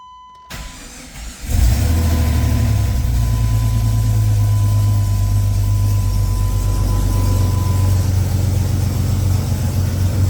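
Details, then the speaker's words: Jeep Grand Cherokee 4.0 cranks, fires and settles into a loud raspy idle with a puffing chuff from an exhaust leak, exhaust loose up high; engine otherwise seems healthy, oil pressure switch likely shorted. "like I said guys you do hear that exhaust leak um or at least I hope you can it doesn't sound very nice"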